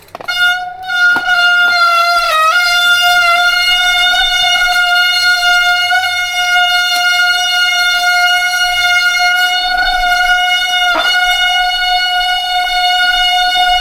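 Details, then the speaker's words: Newly acquired replacement bike on first trail ride: loud steady honking tone with stacked overtones held several seconds while braking; rider says brakes are very bad, noise needs sorting; brake cable catches on pedal; disc brake howl. "It makes quite a, like, that's a terrible noise. That needs sorting, and yeah, that's so ugly."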